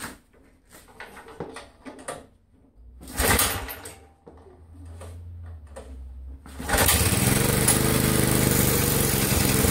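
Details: 1963 MTD Lawn Flite lawn tractor single-cylinder engine after replacing all ignition components: handling clunks, then starts at about seven seconds and runs with a steady putter; normal running, though clutch not working.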